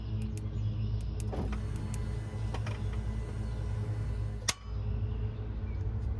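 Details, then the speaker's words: 2018 Ram 2500 Hemi, remote-start attempt the day after purchase: a few single sharp clicks about a second apart with no cranking, the starter clicking but not turning the engine. The problem is intermittent, and the truck started earlier after a jump. "i started just clicks like that got ourselves a lemon boys"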